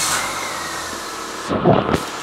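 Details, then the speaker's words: Abandoned 2006 Mitsubishi Lancer after a tune-up with new spark plugs, wires, coil packs and boots; short crank, then it catches quickly and settles into a steady, even idle with no stumbling; normal engine start and idle. "good. She's idling perfectly. Hey, this is a great little car."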